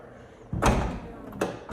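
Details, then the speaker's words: Tesla Model X power liftgate closing: one solid thud, then two crisp latch clicks; a clean, firm catch with no grinding or rattle. Sounded nicer and more original, though the owner still judges the latch bad. "Okay, that sounded way nicer and more original."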